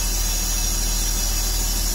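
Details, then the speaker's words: 2003 Porsche Boxster idling during cleanup of unexplained oil buildup on top of the engine (owner wonders about the air-oil separator): steady even idle with no vacuum leak hiss or whistle. "I don't hear any vacuum leaks or anything like that,"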